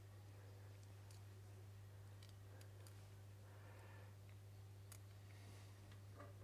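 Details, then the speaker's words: Wahoo Kickr trainer that made a strange noise, after a clean out and a spacer washer added, belt thought to have been rubbing: smooth, even low flywheel hum with faint light ticks, no rubbing or scraping; runs normally. "Okay, that sounds beautiful."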